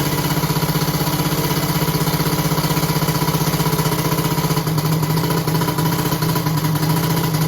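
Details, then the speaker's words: "1100" three-cylinder engine on a cheap aftermarket starter that runs only on the middle cylinder; two ignition coils were just replaced. Even chug of about four pulses a second with no catch: slow cranking, owner suspects the weak starter. "i can hear that these engines seem to spin over really really fast compared to this so i'm thinking maybe t"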